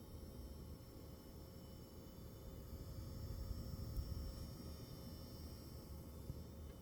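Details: Sapphire Pulse RX 6700 XT graphics card: faint, steady high-pitched whine over quiet fan hiss, holding its pitch; coil whine.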